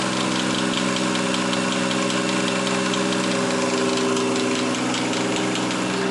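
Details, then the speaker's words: 1JZ-GTE engine in a VAZ-2101 at idle: sharp metallic tick about two to three times a second over a steady idle, started right after startup, heard clearly from below; oil pressure normal, owner believes not a connecting rod, source unknown. "Что-то сильно стучит в дверь. Что-то начало стучать, когда мы это завели. Главное, что это не шатун."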